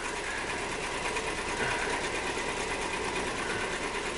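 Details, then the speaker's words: 2002 Nissan Maxima petrol V6 with misfire codes idling with a hard, diesel-like clatter and uneven stumbling beat from a hard misfire; smooths out once rpm rises to about 1,000. "you know what's crazy once the RPMs increase a little to like 1,000 it Smooths out"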